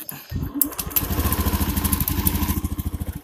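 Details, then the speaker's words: Honda Beat fuel-injected scooter with a broken spark plug and a leaking plug cap: even after a new plug it runs lumpy with an uneven, stumbling beat of about three pulses a second; the misfire comes from the cap leaking spark. "hidup tetapi merebet kan kalau dicas lebih lebut lagi"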